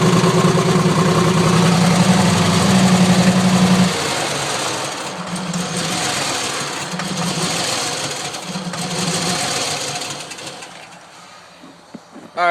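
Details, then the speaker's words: 2001 Chevrolet Silverado 5.3 V8 with misfires for a couple of weeks despite a new coil: uneven, lumpy idle with a stumbling beat, nearly stalling unless the throttle is held; rough-running misfire, cause unclear. "Still running. You guys can hear it. It doesn't sound good at all."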